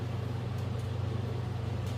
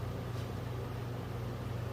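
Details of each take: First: Replacement generator for a 1963 Ford Fairlane 260 V8, bench-motored: smooth, steady, fairly slow consistent whir, spins on its own without a push, unlike the previous unit's drill-like noise; normal generator spin. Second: Original generator from a 1963 Ford Fairlane 260 V8, motored on battery: only a faint low hum, turning far too slowly instead of a drill-like spin-up; owner suspects brushes or armature.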